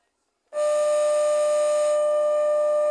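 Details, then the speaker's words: Washing machine motor after repairing melted wiring, powered up on test: steady mid-pitched hum for about 2.5 seconds without turning. It won't start because no capacitor is fitted yet. "Tá vendo aí, pessoal, como roncou? Não rodou porque tá. Ele só não girou, não rodou aqui essa roda, porque não tá colocado o capacitor."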